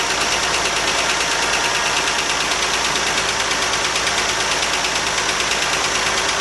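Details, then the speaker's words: 1979 Jeep CJ-5, ex-orchard utility vehicle, first run after sitting as a non-runner, throttle no longer held wide open; light fast ticking about three per second over a steady idle, suspected exhaust leak at the header, not confirmed. "Doesn't sound bad at all. So the exhaust leaks right here, or is that a kicking? More like this noise."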